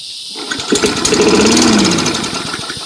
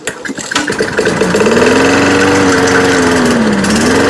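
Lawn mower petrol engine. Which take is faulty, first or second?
second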